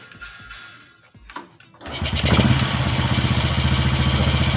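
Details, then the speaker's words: Honda Karisma/Supra X125 single-cylinder engine, body covers off, with a steady thump but a ragged, unstable idle close to stalling, caused by valve clearance set too tight with no gap, before the valves are adjusted. "Nah itu biasanya disebabkan oleh setelan katup atau klep yang terlalu kencang ya adanya diet tidak punya gap atau celah ya depannya seperti ini"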